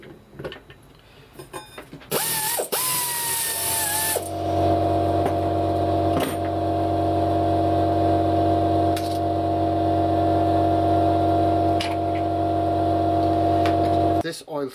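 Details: Secondhand Mobylette Motobécane relay box, turned by hand on the bench: quick even ratchet clicks, then a smooth steady whir spinning freely; the freewheel engages and releases normally.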